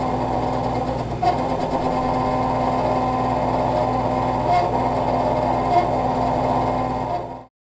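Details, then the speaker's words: Refrigerator condenser fan behind the fridge making a steady raspy, gritty whir with faint squeaks. A squealing or grinding fan like this likely means worn motor bearings. "if the fan is making a squealing or grinding sound then it's likely that the motor bearings have worn out"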